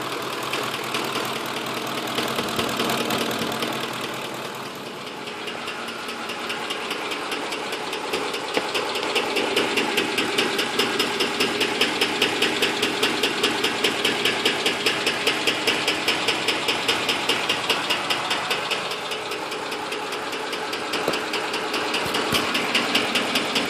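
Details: 2006 Ford F150 5.4L petrol V8 idling with a sharp, steady ticking, roughly two to three ticks a second, that appeared during a long road trip; cause unknown.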